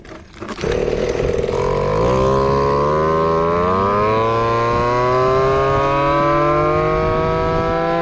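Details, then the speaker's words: Nitro single-cylinder engine in an RC Big Foot truck during a top-speed pass: buzzy note climbing steadily, slightly soft and blubbery at the top, with some squeaking or rubbing noted; mixture judged still a little rich, so the plan is to lean it a hair. "i don't know that felt like it's still a little bit rich i'm gonna go just a hair more lean"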